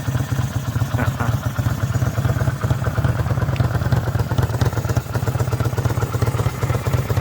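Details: Kawasaki VN800 being fixed for an engine knock: even, steady low V-twin beat at fast idle with no knocking. Runs smoothly.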